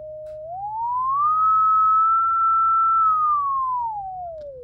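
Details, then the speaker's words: Six-inch electrodynamic loudspeaker from a mid-1930s Knight 98AE-184K receiver, after re-shimming with transparency film, field coil energized, sine sweep around 100–200 Hz: clean pure gliding tone, no rubbing, buzz or rattle; cone moves freely, speaker healthy. "okay no rubbing now we're buzz rattle at 100 hertz or 200 hertz"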